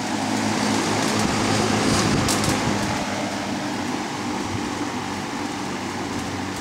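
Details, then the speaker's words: Vintage Dominion 20-inch box fan model 2079, 1.7 A 125 W Fasco MO-722 motor, dirty and needing oil, as received; on low speed a steady airy rush with smooth low hum, no rattle or ticking, moves a lot of air: normal running on low. "I did test it so it does run start on high work our way to low now for low"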